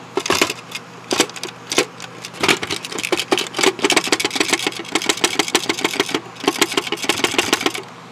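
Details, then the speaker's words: Dropped VHS cassette with a broken lid: loose, irregular plastic clicks in bursts as it is tilted, from a broken-off piece believed to be part of the reel lock, leaving the reel movable. "I think that piece is actually part of the lock that holds the reel in place because this reels unfortunately movable"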